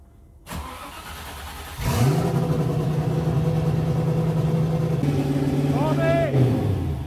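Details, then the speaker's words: TVR Chimaera first start after chassis restoration, possible fuel leak noted: catches after a short crank and holds a fast steady drone around 2,500 rpm instead of dropping to normal idle; idle too high. "that's a high either what was that even that like two and a half k oh it's wild yeah"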